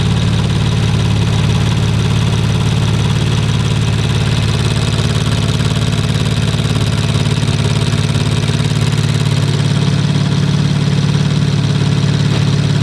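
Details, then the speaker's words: Rebuilt 2019 Audi RS5 warming up at idle, no muffler, canister not yet fitted: light, even tick about two per second over engine hum; ticking at idle, source not pinned down. "i think it might be what's that noise ticking huh they're ticking"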